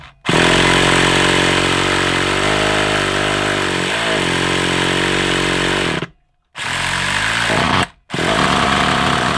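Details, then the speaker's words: Hobao Hyper 7 nitro RC engine, sat unused over two years, cranked after oil added to raise compression: buzzes loudly and unevenly, fires only briefly and cuts out twice; hard starting, owner suspects a blocked carburettor. "All right. I've got a little bit of a suspicion we might have a bit of a block carburetor as well."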